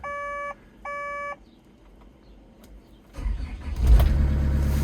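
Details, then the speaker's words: Farmer's diesel digger after service with fuel filters changed and fuel system bled, following a split oil filter seal: two warning beeps, then starts right off the bat and settles to an even steady run; normal start. "Oh, right off the bat, run round here. Right, I'm happy with that."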